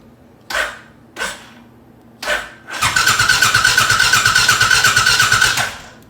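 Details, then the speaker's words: 2008/2009 Suzuki M90 VZ1500 motorcycle, ran that morning then won't restart: buzz, a few short clicks, then starter cranks evenly about three beats a second for nearly three seconds without firing; cranks but no start. "it won't won't fire up I fired up this morning and I killed it and I went to go to start it up back again and this is what I get"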